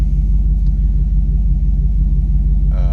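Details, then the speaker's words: Chevrolet Colorado with a V8 swap and mismatched transmission, idling outside the garage on a tune with some sensors turned off and the check engine light still on: deep, steady V8 rumble with an even pulse and no misses; idling well. "we still got a check engine light there's still some sensors that are turned off with the tune but uh we're idling pretty good"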